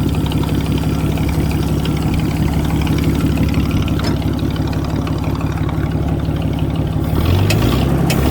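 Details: Motowlift forklift (1940s–50s) with flathead Ford converted to propane, 6-volt system run on 12-volt: deep, even low-pitched chug holding a steady beat with no misses or knocks; normal idle.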